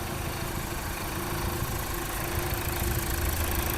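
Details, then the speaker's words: Mazda Skyactiv diesel first start after coolant-pushing repair, mechanics checking for leaks and abnormal sounds before a test drive: steady, even clatter at settled idle with no knocks or misses; running smoothly. "ก็เป็นอันเรียบร้อยเสียงสตาร์ทแรกของเครื่องแก้ไขน้ำดันหน่ะตอนนี้เนี่ยเห็นมยทีมช่างเนี่ยเค้าก็นั่งเช็คหมดนะครับว่ามีอะไรรั่วซึมผิดปกติอะไรหรือเปล่าไม่ว่าจะเป็นเรื่องเสียงเรื่องของเหลวนะครับ"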